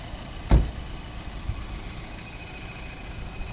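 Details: 2006 VW Passat 2.0-liter turbo, idling under the open hood: quiet, smooth low idle with the cooling fan under it, only one handling bump; no knocks or ticks, so the engine idles healthy.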